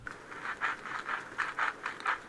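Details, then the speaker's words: RCA Victor 26BP radio speaker: the radio runs but the speaker works poorly. Pushing the cone center by hand gives short dry scratchy rasps, about four a second, from the voice coil rubbing in its gap. "Here's the speaker and if I push down in the center of the cone here, you ca n hear it rubbing."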